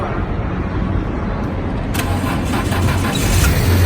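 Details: Car that would not start, jump-started with cables (positive to positive, negative to engine body): low hum, then just before two seconds the engine catches and settles into a steady, strong run; starts cleanly once it has power.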